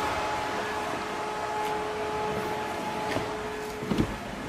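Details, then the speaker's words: Coolant very cold, with the radiator fan forced on by a manual switch that fakes a hot coolant temperature signal to the computer. A steady whooshing airflow over a constant mid-pitched hum. Normal radiator fan operation. "so again I've forced the radiator fan to turn on by telling the computer you have a really hot coolant temperature even though I don't"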